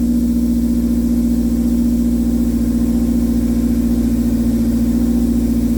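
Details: K24-swapped AE86 four-cylinder after fixing a hard-start problem where it sputtered and died on throttle: steady, even firing pulse with no misses or sputter; healthy-sounding.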